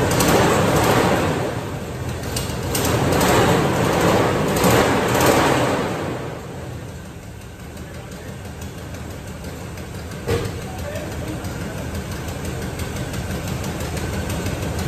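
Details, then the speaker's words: 1973 Chevrolet K5 Blazer that sat too long, rough cold idle: a fast, fairly even ticking puff about three times a second over the idle, an exhaust leak, suspected at the manifold; otherwise a quiet engine. "so yeah you can hear that exhaust leak it's kind of gnarly but this thing is quiet yeah i can't deal with that so but yeah if it wasn't for that exhaust leak you wouldn't hear this thing run"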